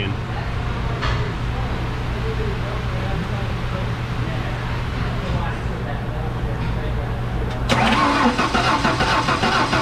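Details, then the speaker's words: Ford F-150 300 straight six no-start, cranked by jumping starter solenoid with spark tester: even cranking about 3.5 beats a second, never fires; no spark, failed ignition module, possibly from its missing heat-sink screw. "all right back to work again so it's uh we do not have any any spark"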